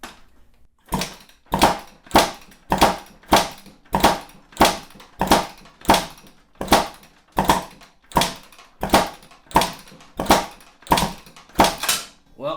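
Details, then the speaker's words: 2005 Kawasaki KX250 two-stroke kicked with the carburetor off (throttle effectively wide open) on a compression gauge: regular soft, airy chuffs with little resistance, about 70 psi versus 205 psi on a freshly rebuilt KX250; low compression. "not good about 70 psi and it's pretty easy to kick now um my kx250 after fresh rebuild 205 psi okay so this is this is an issue obviously"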